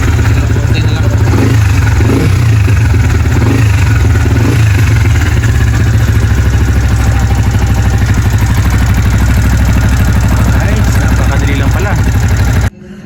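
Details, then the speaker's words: Sniper 150 with an aftermarket camshaft, idling after a Pitsbike manual tensioner replaced the stock tensioner: a steady single-cylinder thump with only a faint tick left; valvetrain ticking somewhat reduced. "So bali nabawasan konti yung ingay. Okay, malaking tulong pala yung manual tensioner pag naka aftermarket tayo na camshaft. Nawala talaga konti yung ingay, yung pitik-pitik."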